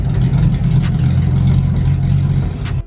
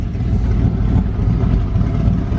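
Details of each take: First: Mustang-based drift kart V8: a loud, lumpy idle with an irregular chop that sounds like a big cam, though the engine isn't cammed. It misfires pretty badly; cause not yet found. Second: $500 Mustang drift kart with a V8 on its first road test, running much better; low throaty burble rising and falling under light throttle with no stumble or miss, the engine sounds clean.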